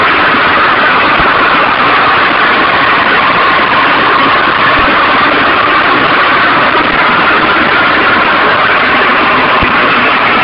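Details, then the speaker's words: Stels Arrow scooter engine knocks after a heat seizure; scored piston replaced with Malossi, knock remains. Loud steady idle, harsh rattle with sharp isolated taps. Crankshaft spins freely, no play when rocked; service technician and tuning seller called crank and bearings fine. Cause unknown. "Вот если вот так коленвал чуть-чуть шатать вверх-вниз, то такой звук."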